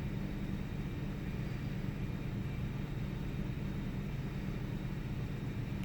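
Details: 1998 Ford Taurus SE V6 OHV, hood open, idling: low steady rumble with uneven loping beat about two to three times a second, rough like a miss, mild rpm fluctuation. Earlier idle swung 400-1000 rpm without warning lights; cause undiagnosed.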